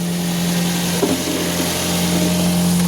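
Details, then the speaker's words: Toyota Vios just started after oil warning: steady even idle, low constant drone, no ticking or knocking; engine quiet, oil warning gone. "Tumahimik na siya mga idol. Nandito sa loob kung may warning pa na lang yes."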